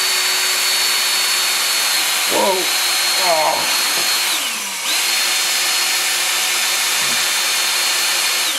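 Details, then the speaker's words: 1988 Jeep XJ 4.0 during knock repair: a half-inch cordless drill on low range spins the oil pump through a rod with a ground flat blade. Steady whine sags slightly as the rear rockers fill with oil and air purges from the galleries. Normal priming. "there goes the back rockers filled up with oil you can hear it slightly slow down it wasn't you know as bad as I thought it would be"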